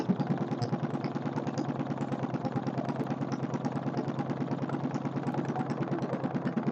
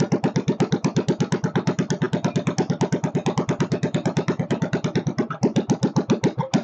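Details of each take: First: Kohler K301 stationary single-cylinder engine just started, not well bolted down: even, steady beat about 140 a minute, no sharp knock; runs healthy, owner unsure of knock but thinks none; carburettor work still planned. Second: Kohler K301 stationary single-cylinder engine, first start after checking over, chainsaw mix added for lube: thumping about 105 beats a minute but uneven, wandering and stumbling; idle speed needs adjustment.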